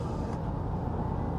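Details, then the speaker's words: 2005 Nissan Elgrand E51 on a road test after replacing worn anti-roll bar drop links: only a smooth low road rumble over the bump that always triggered the knock, with no clunk from the front end; noise cured, suspension normal. "yep it's cured there's a little bump there that always triggers the noise and in a significant manner"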